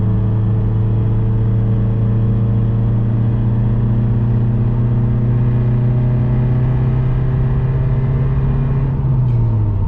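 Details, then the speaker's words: $100 daily-driven Subaru Impreza at about 45–60 mph: steady low droning hum tracking road speed from a bad wheel bearing, louder once warmed up and fading around 70 mph; cat-less resonator exhaust. "This car kind of encourages me to speed, because the wheel bearing doesn't start making noise till about 45 to 55, sometimes even at 60."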